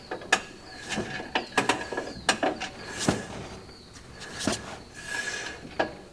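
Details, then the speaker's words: Classic car drum brake being adjusted: sharp ratchet clicks in short bursts as the star wheel adjuster is turned with a screwdriver from behind, with soft rolling and slight drag as the wheel is spun. "now I'm going to take my screwdriver go in from behind and start turning the star wheel and you can hear it clicking as I'm doing that"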